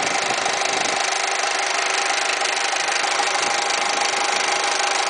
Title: Weird noise when AC is on